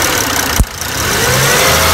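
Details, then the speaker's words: 2002–2006 Toyota Camry 3.0L V6, cold start with the engine coolant temperature sensor connector pulled off: click, then idle drops and labours unevenly near stalling; unplugged ECT sensor causes rough idle and no-start. "hear that it's practically installed if i had to put the connection back on it was going to be pretty dead"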